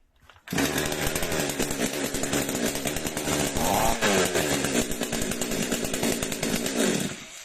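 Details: Flooded chainsaw restarted at half throttle after its very wet spark plug was wiped dry (not burned off): catches and settles into a steady, busy two-stroke run without stumbling. Normal running after flooding cleared.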